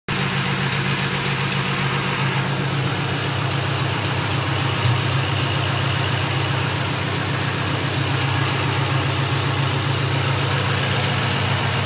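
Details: Car idling with a light clicking, about three to four a second, over the engine hum; the clicking comes and goes, and its cause is unknown.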